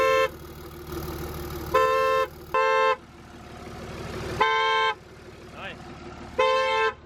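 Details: Diesel pickup with transmission removed and neutral safety switch bypassed: horn blasts about every two seconds right after the engine fires; suspected security system tripping because the transmission is out, not confirmed.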